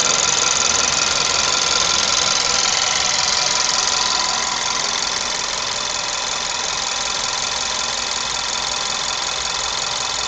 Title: bruit moteur 1.2 tsi 105 polo 6r